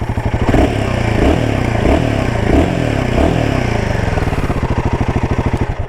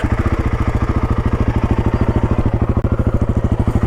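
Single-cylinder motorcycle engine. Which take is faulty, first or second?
first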